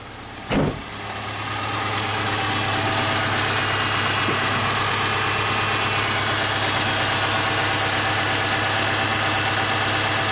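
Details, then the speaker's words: 2005 Subaru Forester 2.5 manual with a high-idle problem: when the EVAP purge valve is plugged back in, the warm idle climbs from about 1,000 to about 1,200 rpm and holds, likely from air drawn through the purge valve. "Plug it back in. Yep, it definitely speeds up a little bit."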